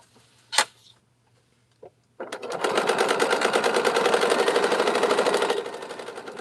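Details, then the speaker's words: Sewing machine stitching through two layers of fusible, quick even chatter about three a second with a hard clacky edge; noisy stitching, owner suspects it needs oil and a new needle. "thing sound like it needs some oil and everything. This old bad needle."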